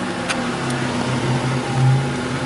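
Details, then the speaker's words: 1984 Buick Grand National running with the mass airflow sensor unplugged for a few minutes, in closed loop with decent block learn; steady smooth idle and clean rev response, though EGR, rich exhaust and MAF circuit-low codes later appear. "so without the mass air flow it's been running for a few minutes here seems to be good R response is"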